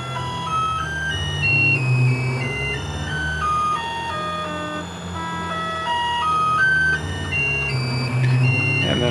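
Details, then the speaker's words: CNC mill (Mikini) on Mach, spindle off, running a spiral of line segments in a hole-pocketing program: rough whining tones jump pitch every fraction of a second under a low growl; stepper motors growling and vibrating, cause unknown. "You can hear kind of some vibration. It's doing the spiral now. There seems to be like some growling or something."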